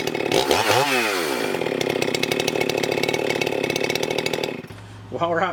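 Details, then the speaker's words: Husqvarna 394XP chainsaw, freshly rebuilt and ported, early shakedown runs on a hot humid day: strong steady two-stroke howl holds pitch buried in the cut, never bogging. Normal cutting; expected to strengthen as rings seat. "guys I'm going to call that win I'm pretty tickled with it just for the few first couple of Shakedown runs on that thing she's doing amazing"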